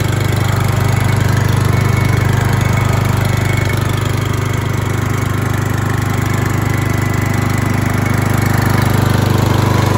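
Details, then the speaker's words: New Stihl GH 370 S four-stroke garden shredder on first start, idling at no load at about 2,400 rpm (rising to about 3,000 rpm under load): an even, regular low thump with no stumbles or knocks, not very loud. A clean, normal idle. "pfai cum ați văzut Noe nu este foarte foarte zgomotos"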